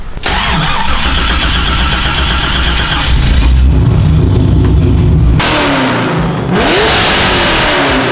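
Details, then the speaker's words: BMW E36 wagon with muffler deleted: engine barks to life then revs with a loud raspy open roar, straight-through exhaust without muffler. "I'm with it deleted the muffler off the E36 sounds phenomenal"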